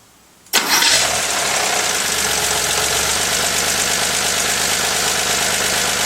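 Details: 1983 Porsche 911 SC, stock 3.0 engine starting and idling: busy, clattery idle with fast knock buried in fan and valve noise; owner fears rod knock, cause not confirmed.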